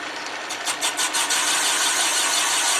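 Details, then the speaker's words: Boring a Willys L-head cylinder .080" over for Silv-O-Lite pistons with a 3-inch 202 cutter, bore worn nearly .080" at top: steady high-pitched cutting hiss, early flutter evening into smooth continuous cut all round; better, full clean-up cut. "like a better cut sounds like we're getting it all around you can hear the difference"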